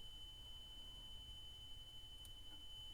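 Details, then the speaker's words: Pioneer CT-F500 cassette deck after motor repair and belt replacement, playing a 3 kHz calibration tape. The pitch shifts as the speed screw is turned to exactly 3,000 Hz, then set slightly fast, about 3,025: a clean, steady tone showing correct tape speed. "You can hear that tone changing its pitch. Right? So, I'm turning the screwdriver. Right there it's on 3,000."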